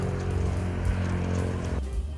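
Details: Secondhand electric fan with a faulty switch, live wire jumpered to the speed 1 switch: steady low motor hum, even tone, no rattle, scrape or wobble, running normally on speed 1; owner concludes the thermal fuse is blown.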